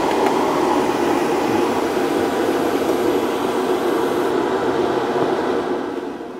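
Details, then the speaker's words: Bobcat T76 R Series loader, newly installed aspiration kit blower for air filter life, ignition on: steady, fairly loud whoosh, no wobble or rattle, easing off as turned off; weak but definite vacuum; blower running normally. "so you can hear that running I mean it's a little loud but that's pretty cool man this is a really cool kit"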